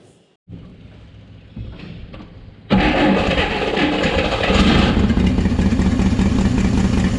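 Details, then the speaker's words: 1959 Apache original straight six, 1-barrel carb, first restart after about 36 years; the starter is worn. Cranks, then runs loud, lumpy and unsteady without settling, threatening to stall. Owner suspects a poorly working idle circuit. Rough idle. "Okay. Idle circuit must not be working very well. So close."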